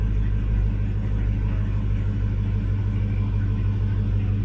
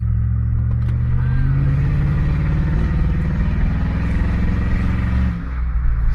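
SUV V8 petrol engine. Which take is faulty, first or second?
second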